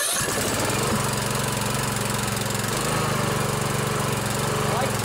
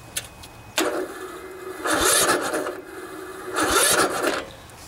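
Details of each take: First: Briggs & Stratton OHV Intek single-cylinder riding mower engine, first start after valve adjustment with choke on: steady, even beat with no misses, ticks or knocks; running smoothly. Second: Poulan riding mower, 16 hp Briggs & Stratton single-cylinder OHV engine, ~40°F, with a new charged battery. Starter drags in labored bursts, never catches; too much compression from valves out of adjustment, else cam compression release may have failed.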